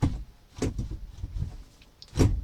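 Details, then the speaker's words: Vectra Elite 2.4 automatic, in P: a few soft dull clunks from the selector as the internal lever moves; normal shift lock release. "É uma alavanca que corre aqui por dentro que libera o trocador de marcha. Agora eu vou pisar no freio, ele vai liberar as marchas aqui para mim."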